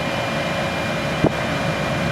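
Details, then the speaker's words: Smart Fortwo HVAC fan motor just after replacing its brushes, heard from the passenger side with the key on: steady whirring hum, faint high tone and a brief clunk; noisy, may need to wear in, cause uncertain. "let's see turn the key I'll even start it up and noisy may need to just wear in a little bit"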